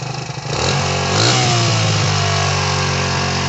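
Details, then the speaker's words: 2004 Suzuki DR-Z125L dirt bike, just bought used and ridden down the block: single blips up, then settles to a slightly fast idle that hangs rather than dropping; idle sits high, owner suspects carb adjustment needed. "all right maybe we should uh oh we think we got to do a little carb adjustment sees me hanging a little high but I don't know maybe we take it through the woods all [Music] right"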